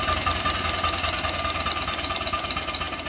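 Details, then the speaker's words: Allen Mogul live-steam locomotive after piping silver-solder repairs, in full forward at about 80 psi: quick even chuffing over hissy run, steady rhythm, no knocks; normal running. "runs like a jackrabbit this just like a locomotive valve or locomotive cylinder basically"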